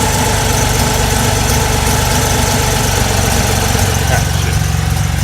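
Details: Mazda RX-7 rotary after header welding and an electric cooling fan upgrade, first start following no-start issues, exhaust possibly not fully tightened: steady, smooth, fast burble at a solid 1500 rpm idle with no misses or knocks.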